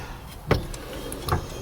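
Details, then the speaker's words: MGB GT overdrive oil pump, freed and cleaned, shaft turned by hand: two sharp isolated ticks about a second apart from the small internal spring moving as it should; pump appears to work. "There's a spring in there, and that is moving, and you hear that tick."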